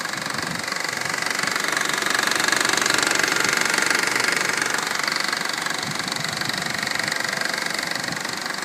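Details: 2012 Honda Civic EX, 28,500 miles, under warranty, at idle: fast even light knock or rattle about four per second. Dealer already replaced belt tensioner and oil pump, now plans to replace the engine; source not pinned down.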